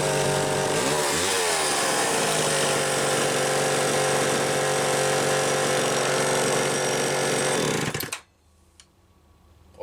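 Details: Homelite XL-500 chainsaw with optional silencer muffler, garage test run: steady clean high-pitched two-stroke scream at full throttle, no misses, then switched off; tuned close, healthy.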